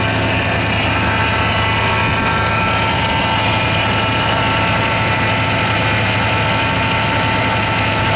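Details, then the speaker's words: 1984 Lincoln Continental just restarted after sitting six months, on over-a-year-old gas: steady mid-pitched whine over a rough idle, not pulsing, from the power steering pump running low on fluid; a small power steering leak is noted. "Power steering, there's a little leak there because the power steering pump was whining down on fluid, and the brakes, there is no brakes."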